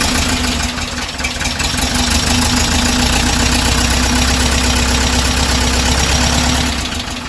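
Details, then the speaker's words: 1968 Porsche 912 air-cooled flat-four with freshly rebuilt carburetors, before idle screw adjustment: steady but loud idle pulsing about four times a second with low drone; idle speed set incorrectly, both idle screws then turned a sixth to the right. "so the idle needs to be definitely be uh adjusted but hey if he runs we're gonna adjust the idle screw"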